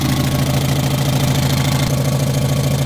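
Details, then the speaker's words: Škoda Felicia, engine just reassembled with the exhaust manifold refitted, warm after driving: an even idle with quick rhythmic puffing on each exhaust pulse. The exhaust gasket under the manifold needs replacing; otherwise the engine runs fantastically, with minor oil drips. "Takže motor nám beží úplne fantasticky. Len by trebalo dať to tesnenie pod výfuk, lebo to poprtkáva."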